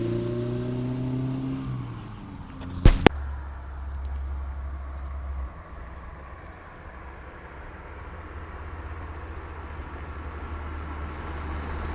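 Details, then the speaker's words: 1971 BMW 2002 E10, two-owner car, while driving: revs climb and drop cleanly through a gear change, then settle into a smooth steady low cruise. Engine and gearbox sound healthy. "like the sound of these cars the way they uh the sounds going through the gear sounds nice"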